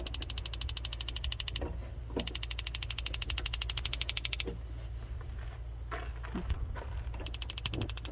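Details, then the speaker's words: Brand-new gas burner in a 2019 Chevy Express 3500 6.0L camper van: rapid, even spark-igniter ticking at about ten clicks a second in bursts over a low rumble while it lights; normal, needs breaking in. "you can hear it clicking on now hot that's a little burner this is all brand new it kind of needs to be worked in a little bit so it starts up good"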